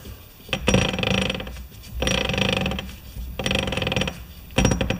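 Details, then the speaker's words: MTD lawn tractor differential, shafts rotated by hand: rough growling, grinding bursts with quiet gaps as the gears engage; worn differential gears. "hat I'm gonna do now is I'm going to rotate these two shafts to the point where the gears are actually making that growling sound and then I'm going to leave them there take the top off the housing and see if I can find exactly where that grinding is coming from"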